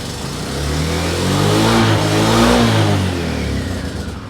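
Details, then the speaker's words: 1998 Yamaha Majesty scooter after new exhaust header, manifold gasket and muffler gasket: engine note climbs smoothly and falls back, muffled and even with no crackle or blowing; much quieter than before. Exhaust sound after repair. "It's way quieter. I'll try and get another angle just so we can see the exhaust and what it sounds like,"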